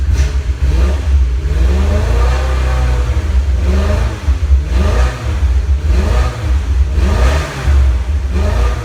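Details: 2002 BMW E46 M3 engine: revs rise and fall over steady rumble with small uneven dips, sounding like it runs on only some cylinders; owner suspects bad plug wire, plugs and wires to be done later; engine misfire.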